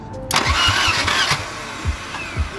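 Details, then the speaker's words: 1978 Volvo 242 that hasn't run in two years, first crank attempt, not in gear: slow, slightly uneven cranking with firm even compression pulses about twice a second; compression good, spark seen, but the starter turns a little slow. "It has compression. It definitely does. Sounds good, actually. It sounds healthy. It's not. It's a little slow."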